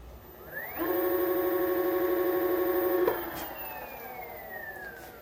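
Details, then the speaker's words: Onewheel Plus hub motor after fixing a rattle/squeak, tire spun with board off: clean, steady electric whine rising, holding, winding down smoothly, no grinding or clicking; noise fixed. "I was also able to hear it if I turned it off. Where am I? And just spun the tire. So it sounds a lot better now."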